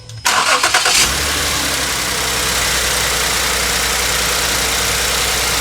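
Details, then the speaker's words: 2009 Ford Edge 3.5L V6 restarted after replacing cylinder 6 spark plug for a P0306 misfire: cranks and catches quickly, then settles into an even, steady idle with no stumble; misfire gone. "Smooth as a Ford."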